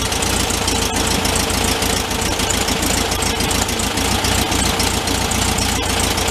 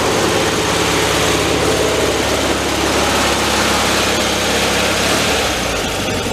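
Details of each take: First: 1974 VW Thing, 29k miles, after sitting a long time, engine reinstalled and warming up: steady even air-cooled idle with no hunting or misfire once idle mixture and choke were adjusted. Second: 1974 VW Thing air-cooled flat-four, 29k miles and long stored, warming up with choke being checked: uneven loping idle at about three pulses a second; rough idle, the air-fuel mixture is set wrong.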